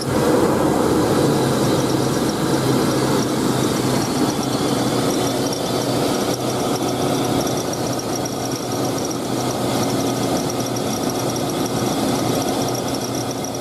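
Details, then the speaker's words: 2000 GMC Sonoma 2.2L I4 at idle before belt and tensioner replacement: a constant high, thin squeal holding its pitch throughout; worn slipping serpentine belt and tensioner. "I'm gonna start it up and see if it actually makes that noise and I'll show you the compressor I'll show you the tensioner"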